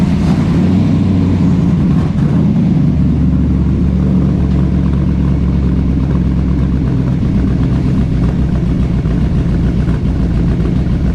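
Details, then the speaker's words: 1970s Datsun 280Z with a Ferrari GTO kit body and a Ford 5.0L V8 on a base tune: a deep, lumpy burble holding steady with slight unevenness, "like an old race car." Normal running for a fresh engine that still needs laptop tuning. "oh yes it sounds like an old race car you know sounds like an old race car or something"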